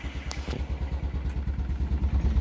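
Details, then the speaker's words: Restored cabriolet with radial tires, 121 PSI compression, just fired up: low, even putter of roughly nine beats a second with no misses or knocks, checked for blow-by and feels normal; smooth, healthy idle. "Okay, we got it running, idling. Want to make sure there's not a bunch of blow by. Feels normal. Looks good."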